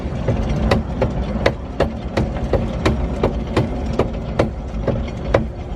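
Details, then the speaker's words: Nissan 240SX S13 with a 555hp 2JZ and a years-old welded differential, on jack stands in neutral: a sharp clunk repeats about every third of a second as the driveline is spun. The rear diff is suspected to have failed again. "so i i believe it is the diff because when i spin i get a loud clunk and it's in neutral"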